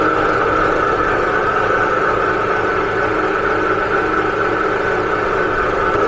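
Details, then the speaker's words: Husky Pro belt-driven air compressor, bought new 2007, repaired after a hard failure and 3–4 years sitting, belt guard off, building pressure: loud steady drone, even pumping beat, no knocks or squeal; motor running cool, old belt stiff. "It'll be at maximum load. Motor's running nice and cool. That old belt is stiff."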